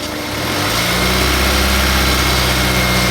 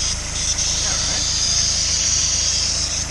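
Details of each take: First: Honda S2000, F22C, over 130K miles, after timing chain service, running to flush the cooling system: steady, smooth, even engine note with no ticking or rattle, then small rev rise; quiet, like when bought, water pump not leaking. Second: Honda S2000, F22C, over 130K miles, after timing chain service with OEM intake box refitted: loud steady high hiss over soft idle rumble, not pulsing; bypass valve hoses misrouted, checked against parts-catalog routing diagram.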